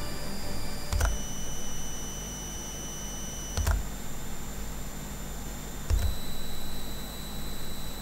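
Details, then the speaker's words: GPD Win Max 2 prototype handheld: a thin, high, steady coil whine, audible meters away, jumps to a new pitch with each faint click as the screen brightness is adjusted. It is fixed on the final unit. "type unit is that there is a very loud coil whine whenever the unit is running. The noise is very annoying and I can hear it meters away from my device."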